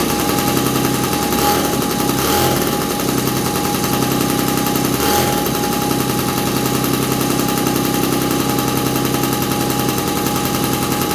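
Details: 1983 Honda QR50, a 49cc oil-injected two-stroke single with automatic clutch: a fast, crackling rattle that holds steady through a few throttle blips. Normal running.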